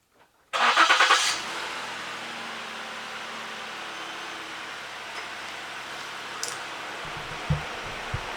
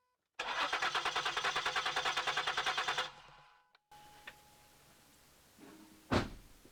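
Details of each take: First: Ford Flex after a no-start fix (replaced fuel pump relay/driver module): a short burst of cranking, then the engine catches quickly and settles into a quiet, even idle; normal start. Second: Ford Flex crank, no start: steady starter cranking about three turns a second that never catches. No fuel pressure when cranked. The fuel pump relay / driver module is named as the most common cause on this model.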